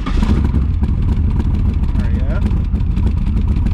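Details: 1982 Chevy Camaro V8 with high-torque starter, started after pumping the gas a couple of times: deep, steady burble with even low pulses, no knocks, misses or stumbles. Low-hanging driver-side exhaust pipe unchanged. Normal start and idle.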